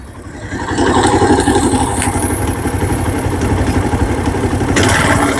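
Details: TVS Apache RTR 150 after head work, previously serviced three times in two months with an engine sound problem: steady quick idle, about four pulses a second, even with light valve clatter; sounds healthy.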